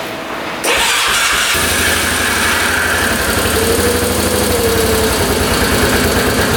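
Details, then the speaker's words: 1998 Yamaha Grizzly 600 ATV after new CDI install, fresh fuel and oil: starts and revs high, strong and clean with no carb popping; sounds healthy, fix for 10 mph limit not yet road-tested. "That sounds pretty darn good. See how high that was revving? I think that might have been the fix."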